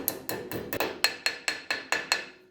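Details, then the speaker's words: Camper trailer wheel hub during bearing repack: evenly spaced hammer blows, about four a second, driving the seal in turn from dull thuds to a bright ringing note as the seal seats fully home. "hear that sound change, that's when you know it's home."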